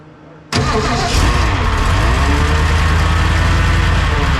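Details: 1969 Ford F-100 with a naturally aspirated 460 V8 (to be supercharged later), first start, recorded by GoPro: engine catches into a loud steady run with a faint wavering whine from underneath, suspected drivetrain, cause unknown; stopped cam break-in.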